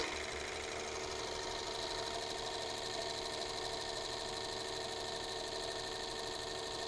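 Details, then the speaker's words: New P7100 P-pump for a 600 hp 24-valve Cummins build, running on test stand after bumping cylinders 2 and 4 down; steady fast even mechanical clatter with no missed beats, plungers flowing extremely balanced, healthy pump. "Okay, and I know you guys can't see that from there, but these all these plungers are actually flowing really close to each other. That small adjustment was all we needed. They are extremely balanced."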